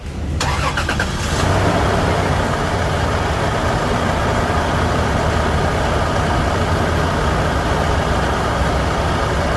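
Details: 1997 Toyota Land Cruiser VX Prado, 3.4 L V6 gasoline, 4-speed automatic, 181,479 km, all stock: quick crank catches first try, settling into a smooth, even, deep idle with no knocks or misses.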